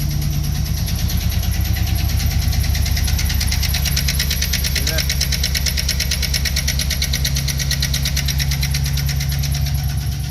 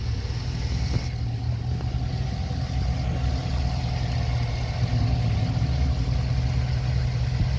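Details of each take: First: Chevrolet 5.3 L V8 truck idling before repair: even idle with a light, quick tick riding on top that follows engine speed; the ticking is a lifter that is collapsed, not working or worn out, to be replaced. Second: Chevrolet 5.3 L V8 truck idling after replacing a collapsed hydraulic lifter: steady deep idle with a throaty exhaust note, even firing and no more ticking from the top end; sounds healthy after repair.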